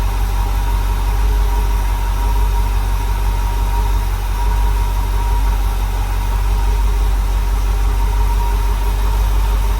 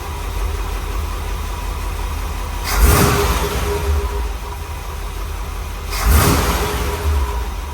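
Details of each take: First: Rebuilt small block Chevy V8 in a dump truck on first startup, air filter off, timing not yet set, 50 lb oil pressure: faint steady high whistle over heavy even idle rumble; source uncertain, possibly the open intake without air filter. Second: Rebuilt small block Chevy V8 in a dump truck, run at idle just after first startup, with the manual choke unhooked and timing not yet set. Steady, even idle with two throttle blips and no knocking; it knocked badly before the rebuild. Normal idle.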